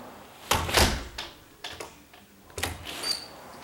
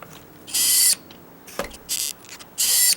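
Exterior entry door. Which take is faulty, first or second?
second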